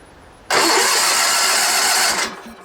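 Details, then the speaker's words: Sears Suburban SS16, 16 hp Onan twin, sat for years: starter cranks steadily about two seconds, never catching or firing; spark tester then shows no spark, though it ran moments before; no-spark crank, no start. "I'm getting no spark. I had to have spark a minute ago because it was running, right?"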